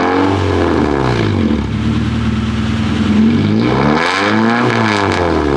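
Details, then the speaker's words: Honda Prelude H23A1 engine started after new timing belt, valve lash adjustment and ignition timing set; it catches, revs, then settles into a smooth, even idle with no valve-train ticking. Normal idle after repair. "so let me start it on up should sound a lot better with those tighter Valves and the timing set on the engine"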